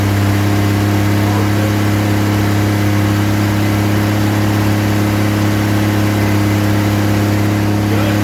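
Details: Rebuilt 230 six-cylinder on first start, cam break-in at raised idle about 2000 rpm, 40 psi oil pressure, 180° temp, timing advanced to about 10° initial; smooth low drone, no top-end ticking, no smoke; healthy.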